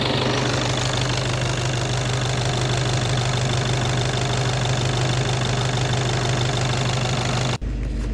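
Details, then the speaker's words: VW Passat B8 2.0 TDI EA288 (DFGA) diesel after repair, cold warm-up idle without VCDS coolant bleeding, about 7 L coolant in system, checking for leaks: steady low even hum, no knocks or misses; normal idle. "And now I will warm up engine without bleeding coolant system with VCDS."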